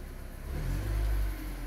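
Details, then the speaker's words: Car engine after fixing the PCV valve and hose that caused heavy exhaust smoke: brief gentle blip, smooth rise and fall in revs with no knocks or rattles; sounds normal. "hm ini dari suara sih normal aja sih enggak ada keanehan sih ya semoga awet"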